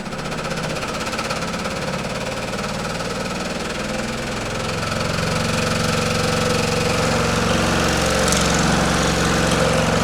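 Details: Pullmax-style machine with plastic thumbnail shrinking dies on its finest hit setting: fast, even ram hammering about three strokes a second, steady rhythm throughout; running normally.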